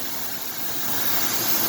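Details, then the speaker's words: 1998 Ford F150 XLT, 4.2 L V6, about 130,000 miles, probably original plugs and wires: steady airy hiss over a smooth idle that doesn't change with the engine; owner suspects a vacuum leak. "that sounds like a vacuum leak to me you hear that hissing"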